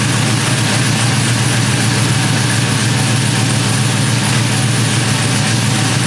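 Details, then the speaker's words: GMC 1500 single cab short bed after an engine swap, first start on a freshly flashed ECM tune, heard at the exhaust while warming, with good oil pressure. Loud V8 lope, about three or four chops a second. Normal cammed idle. "let's walk you around to the back so you can hear it chopping from the [Music] exhaust"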